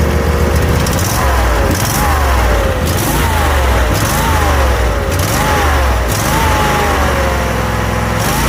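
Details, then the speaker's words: Brand-new engine installed in a very old riding lawn mower, first start on boost pack with a little choke: loud, steady small-engine drone with slight even rise and fall every second or so; runs healthy. "crank it over a little bit just a little bit of Choke and there she is brand spanking new engine"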